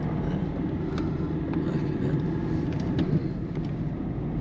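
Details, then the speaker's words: 2008 Peugeot 207 1.4 turbo diesel, 5-speed manual, after clunk-over-bumps repair: steady road rumble and tyre noise with no clunks or knocks from the front end; suspension now sounds normal and tight. "it doesn't Clank yes it did before at all it's normal when he hits something very happy"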